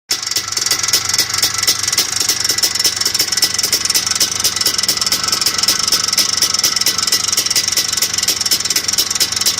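Fast, even ticking knock, about six or seven a second, steady over the whole idle with no speed change; cause unconfirmed.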